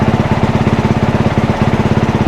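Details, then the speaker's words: One-owner 2022 dirt bike with about 25 hours, oil changed regularly, while toggling traction control maps: crisp, even single-cylinder thumping about sixteen beats a second, no misses or rattles; sounds and runs good. "Engine kill. As you can see, the thing sounds good. It runs good."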